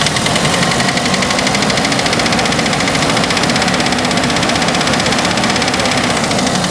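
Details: 2003 Chevy S10 2.2 four-cylinder at idle: sharp, rapid, even metallic knock unchanged throughout, started after new spark plugs and wires fitted in correct order; source not yet pinned down.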